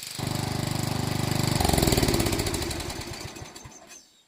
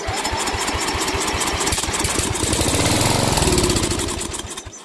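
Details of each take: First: 12 HP Briggs & Stratton flathead after sump gasket repair and carburetor cleaning: chugs steadily at idle with choke off, picks up cleanly to full throttle, then winds down; runs healthy, no leaks. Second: 12 HP Briggs & Stratton flathead after sump oil-leak gasket repair: quick single-cylinder popping for a few seconds on starting fluid, then dies; fuel starved, suspected debris in carburetor jet knocked loose during the sump work.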